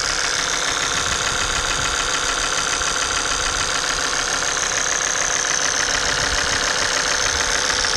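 Sharp metallic clatter repeating about twice a second over a busy idle, typical of oil starvation from a dead oil pump.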